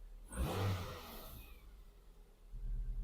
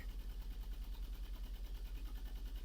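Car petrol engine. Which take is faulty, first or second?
second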